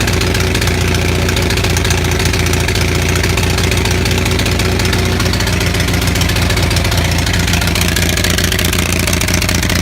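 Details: Onan 6500 (6.5 kW) gas commercial generator, missing its muffler: uneven lumpy beat with irregular stumbles and pops over a steady low drone, shaking; spark present throughout, misfire traced to a severely fouled spark plug.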